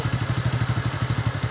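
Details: TVS Ntorq scooter after the loose magnet was tightened to cure a magnet noise: steady, even low thumping at about ten beats a second with no rattle or clatter; the scooter now idles cleanly, problem solved.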